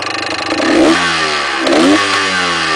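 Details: DT400 two-stroke revving, with a loose metallic rattle over the exhaust note as revs rise and fall; engine rattle, source not yet found, engine to be opened later.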